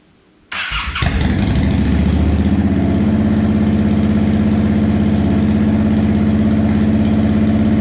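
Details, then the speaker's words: 2007 Honda Shadow Spirit 750 V-twin, first start after installing Cobra Streetrod Slashdown exhaust: starter crank, catches into deep loping even rumble settling to steady idle; healthy normal idle. "so we're gonna fire this baby up for the first time I have been waiting in suspense but we're gonna fire it up and see what it sounds like"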